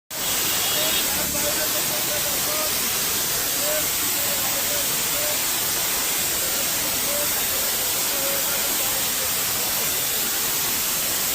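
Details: Loud, steady, high-pitched rushing hiss with no engine rhythm underneath as compressed gas suddenly escapes from a CNG vehicle's cylinder; CNG gas leak.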